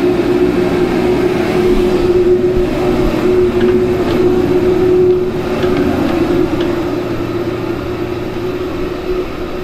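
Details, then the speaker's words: Dairy farm piston manure pump after -50 temperatures, line frozen or blocked, likely at the valve: steady laboring drone with a rhythmic pulse around 200 per minute; the pump runs but the line is still frozen. "does still frozen essentially very simple design that piston just goes up and down up and down up and down"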